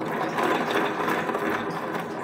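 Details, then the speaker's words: Honda Beat FI with rough-sounding CVT: rear wheel spun by hand gives a dry, gritty rattling whirr instead of a smooth spin; pulley sliding looks fine, so worn CVT pulley shaft bearing suspected. "Oh ini teman-teman nih berarti kurang lebihnya ada masalah pada laher as puli CVT ini teman-teman yang ada di dalam ya terdengar ya teman-teman tuh terlihat dari kegoblakannya parah sekali ya jangan-jangan suaranya ditimbulkan dari as puli CVT ini tetapi laharnya ya"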